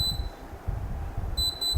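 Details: Mini split air conditioner switched on by remote during diagnosis of a compressor that runs a while then stops (L2 error, outdoor unit 32 blinks): a few short high beeps over low room hum; normal power-on acknowledgement.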